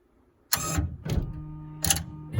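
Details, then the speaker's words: 1999-04 Honda Odyssey sliding door release actuator, triggered by remote, makes short whirring pulls ending in clicks as it pulls the door lock release cable to the latch; normal actuator operation (no such noise means a bad motor). "And that actuator that you're seeing here is pulling the door lock release cable, because the latch is back here."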